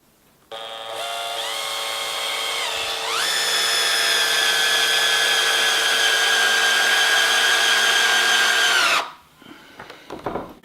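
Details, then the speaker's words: Cordless drill on speed setting 1 (slower, more torque, for roofing or decking screws): clean motor whine steps up in pitch then holds steady before stopping; normal low-speed operation. "in setting one or on setting one the drill rotates slower but it has more torque so it's great for doing jobs like inserting roofing or decking screws"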